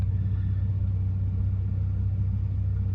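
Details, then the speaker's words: Truck restarted after it shut off with the oil light on during a tug-of-war pull, dipstick showing plenty of oil; a little shaky starting, then steady even low idle rumble with no knocks, misses or surging; engine okay, normal idle. "All right, here we go. It was a little shaky starting up. [Music] Engine's okay."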